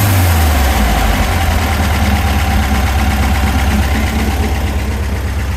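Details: VW Super Beetle 1679cc dual-port engine, owner suspects rod knock: loud rough idle with a steady low thumping about three beats a second under the fan roar; knock present, bottom end not confirmed.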